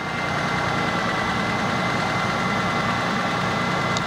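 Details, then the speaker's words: Ford Mustang that sat for a while, running after no-start fix with fuel pressure now good: steady idle with light busy ticking; owner suspects top end needs attention, plans fresh gas, fuel treatment and oil change, unconfirmed. "gonna really cycle this gas out do a gas treatment on this car that's been sitting for a while you wanna do - treatment really want to run this thing all the way - no - fill it up with some good gas good known guys with some treatment and maybe oil change can be seen like it sounded like the top of the motors needs to"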